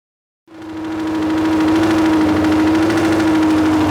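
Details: Junkyard Honda CB750F four-cylinder that sat for decades, finally running though the starter clutch needs attention: catches and settles into a steady, even idle with loud, raspy exhaust, no knocks; normal running, loud exhaust.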